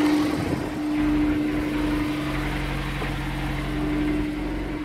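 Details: Honda S2000 at steady cold-start idle: faint dull tapping under the exhaust hum, keeping time with the engine; suspected rod knock, unconfirmed.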